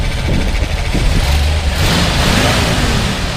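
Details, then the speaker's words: 1966 Ford F250 Custom Cab, replaced 1967 intake manifold: deep even idle rising smoothly into a clean light rev and settling back, no knocks or misses; runs healthy. "It actually runs really good. You know, sounds good. Go ahead and rev it up a little bit."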